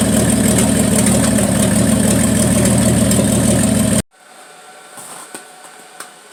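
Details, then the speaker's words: 1974 Plymouth Duster slant six, cold start at 21°F: a lumpy idle with occasional dropped pulses before shutdown, a miss. The owner suspects the valve train is too tight, pending a valve adjustment; unconfirmed. "As you can hear, that thing had a miss in it, and I think the valve train is too tight."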